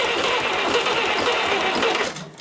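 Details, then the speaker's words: 70-year-old International 275 diesel tractor cranking after injector work, starting to cough and smoke: labored, uneven chug with strokes dragging and fading as the starter slows; slow cranking from a weak battery, charger to be fitted. "now I can hear the starter slowing up so I'm going to rather than hammering the battery I'm going to put the charger on the battery for a short while"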